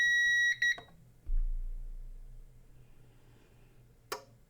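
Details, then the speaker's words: Failed CyberPower 450VA UPS, plugged in through a power meter and switched on; a short high beep pattern, then a relay click and faint hum. Normal UPS power-on self-test. "I guess that was a self-test."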